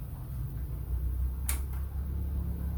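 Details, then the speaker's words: Regency electric fan that was totally dead, after repairing a broken winding-to-fuse connection (not the fuse as first suspected). Now running on speeds 1, 2 and 3, very strong; smooth even motor hum with no knock, rattle or scraping; normal running. "pemirsa bisa lihat ya, sekarang di kipasnya sudah nyala kembali. Dan itu nomor 1. Nomor 2, nomor 3, kencang sekali."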